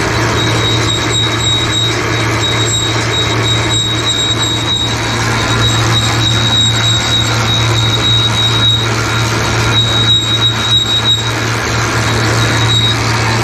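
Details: John Deere baler behind a tractor: a steady high-pitched squeal over the drone, persisting after the drive chains were oiled. The owner suspects a metal sleeve rubbing near the chain.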